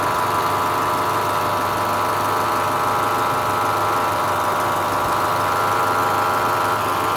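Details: Running engine with a damaged alternator: a loud, steady, mid-pitched whirring growl constantly over the idle. The loud noise comes from the alternator, pointing to a worn alternator bearing.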